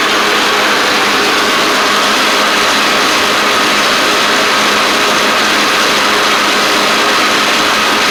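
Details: Cub Cadet Ultima ZT1 zero-turn with a bent 42" deck and badly worn blades replaced, deck test: steady, even engine drone with blades spinning smoothly, no scraping or hitting the deck. Normal deck running; blades stay engaged with PTO off, suggesting a faulty PTO clutch.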